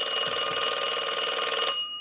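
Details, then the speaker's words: Stromberg Carlson Fatboy rotary phone with a replaced bell and corrected wiring, rung by the analyzer in final checks: bright, steady high-pitched double-bell trill under two seconds, stopping cleanly; ringer healthy. "and we want to go ahead and ring the unit with the analyzer so we'll go ahead and do that we'll let that go a few times"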